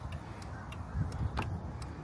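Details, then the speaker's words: 2019 Dodge Durango R/T, engine running, hazards on after front turn signal bulb replacement: crisp, even relay ticks about three times a second over a low engine rumble; normal hazard flasher relay clicking. "But you can hear the you can hear the relay clicking, too. Yes, sir. So easy little task there."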